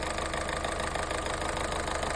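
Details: 2013 Opel Astra H 1.8 Z18XER, manual, 284,000 km, fully warm at about 107°: hot idle with a quick, steady metallic tapping over the hum from low oil pressure (0.8 reported earlier); quiet when cold, then starts knocking.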